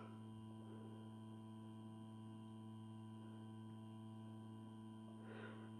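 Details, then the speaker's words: 160 W regulated power supply (mains transformer plus XL4016 buck module) on 220 V input: steady low mains hum, constant pitch, no buzz, rattle or crackle while output voltage is raised toward 34 V max; normal transformer hum. "220 ვოლტის შემომავალი ძაბვა. ტრანსფორმატორი ცოტას გუგუნებს."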